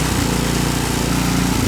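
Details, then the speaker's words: Ariens Deluxe 28-inch snow blower, gravity-fed, fuel cutoff switched off to empty the carburetor for storage: loud small engine pulsing unevenly with a brief stumble near the end as the carburetor runs dry; rough running from fuel starvation. "It just means that the carburetor is going to get a little low. It's going to run rough. Like it'll die. You hear it running rough? Yeah. It's going to die pretty soon."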